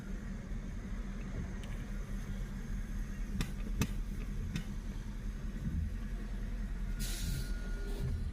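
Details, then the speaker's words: Mercedes idling: low engine rumble with a few short, sharp hiss bursts from the left side of the engine bay; owner wonders about water on the hot engine, a vacuum leak or the brakes, though the brakes seem fine. "I don't know if water's hitting the hot engine or there's a vacuum leak or something to do with the brakes."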